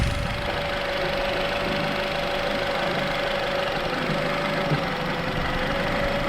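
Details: Nissan Rogue with a P0300 multiple-cylinder misfire after new spark plugs and an ignition coil pack, which stalls on test drive. Idle runs lumpy with irregular stumbles over a steady hum. Rough idle misfire.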